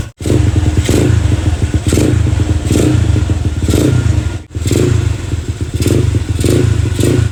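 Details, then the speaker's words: Motorcycle engine freshly built to full up-spec with a clutch conversion, just after its first start; crisp blips about once a second rise and fall cleanly with no knocking or rattle, revving freely. "Alright geng. So tadi motor dah hidup. Motor dah hidup."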